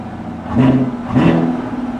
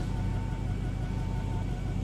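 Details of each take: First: Camaro SS V8 at a salvage auction, stationary with two quick throttle blips; revs rise and fall cleanly with an even, unremarkable exhaust note and no knocks or rattles. Normal revving. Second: Camaro SS V8 at idle, just started after having trouble starting: a deep exhaust rumble that stumbles unevenly, a misfire heard outside though not felt inside; the temperature gauge wrongly reads overheating.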